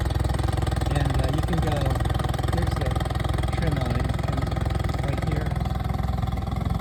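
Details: 2011 Tracker Super Guide 16' boat, original Mercury 40 HP outboard, under 60 running hours, idling in neutral: smooth steady low burble, even firing pulses, no knocks or misses. Normal idle.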